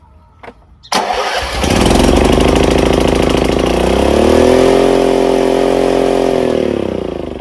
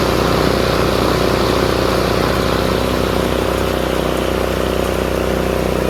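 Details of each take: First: Craftsman RER1000 riding mower started on choke after sitting a while: catches and races straight up to a high steady speed, then winds down and stops; high idle because the idle screw needed adjusting. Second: Craftsman RER1000 riding mower after shortening a spring to fix high revving: steady, even engine drone with blades spinning, no slipping, knocking or surging; normal running with blades engaged.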